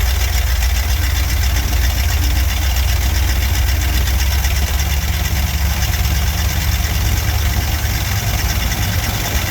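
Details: Barn-find Cadillac 7-liter V8 after new spark plugs, first run in 30+ years: deep steady low rumble with even beat, no knocks or misses; big V8 idling smoothly.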